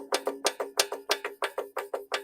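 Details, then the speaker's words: 2014 Boland's lawn mower engine turned over by hand via the blade: sharp hollow knocks in pairs, blade turns easily with little or no compression, silver swirl in oil; owner suspects worn connecting rod bearing with lots of play. "So you can hear that noise. I'm guessing it's connecting rod bearing. A lot of play."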